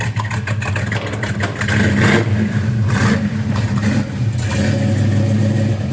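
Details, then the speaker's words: 1966 Mustang GT fastback V8, cold start right after fresh exhaust system replaced the original: deep, even burble at idle rising cleanly on the rev and settling back, no misses or knocks; healthy running. "thank you that sounds good in a minute we're going to go on a test drive this video but first I'm going to eat some more barbecue foreign [Music]"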